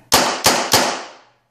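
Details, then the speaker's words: Older Tippmann paintball marker with full-auto trigger, no audible air leaks, fired in semi mode: three crisp pops about a third of a second apart, no hiss between; normal semi-auto firing. "I'll show you it works in semi. Let me put it in semi mode."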